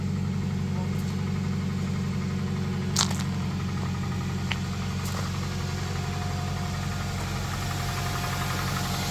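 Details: 2001 Toyota Tacoma Prerunner, 220k miles, little maintenance, after repairing misfire code P0303 with new coil packs: petrol engine now idles evenly with no misfire stumble, a faint light valvetrain tick underneath.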